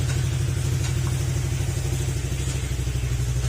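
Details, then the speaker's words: Honda Click 125 scooter after engine overhaul: steady low drone with an even pulse and no knocking under the rev; motor declared okay, healthy after the rebuild. "mga sir narinig naman natin na Kumander na yung motor Okay na"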